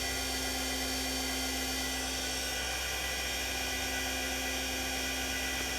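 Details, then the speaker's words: TurnCrafter Commander 12-inch lathe after a control board repair (bad MOSFET replaced), roughly 3800 rpm: steady high whine over a constant low hum, with no surging, knocks or rubbing. The motor runs smoothly at high speed. "see what we can do all right we're roughly at 3800 rpm"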